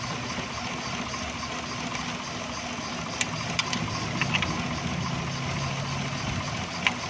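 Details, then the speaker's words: XLI 1.3 on CNG, engine cover off, vibrating heavily: lumpy, uneven idle with stumbles and sharp clicks; misfire on cylinders 1 and 2 from oil-fouled plugs and plug wires and a cracked coil. "दोस्तों, इसका 1 नंबर और 2 number plug wire में मसला है, प्लग में मसला है। इसमें सारा ऑयल आ गया है।"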